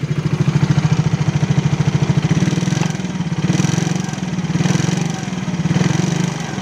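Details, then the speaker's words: Yamaha X-Ride (54P engine, same as Mio): idle normal, but revved around 3,000–4,000 rpm a fast, dry metallic rattle rides each firing pulse; worn piston and cylinder block, piston slap. "Kritik ketika digas di RPM sekitar 40 sampai 30-an."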